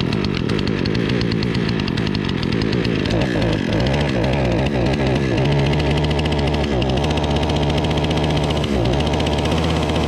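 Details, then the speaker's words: Remington RM4620 chainsaw on freshly mixed fuel, before repair: drones at a flat, held-down pitch and won't rev up as it should; bogging, traced to a clogged spark arrester and dirty air filter. "all right so that is it as you can hear it is not revving up to what it's supposed to"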